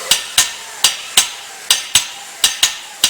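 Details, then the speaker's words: CAT Air Assist Airless pump during setup, flushing as air pressure is raised slowly: sharp, unevenly spaced knocks as the pump strokes erratically on air trapped in the fluid line, then it starts to straighten out into a steady flow. "you can hear where the air is in the system. You can hear it start to straighten out."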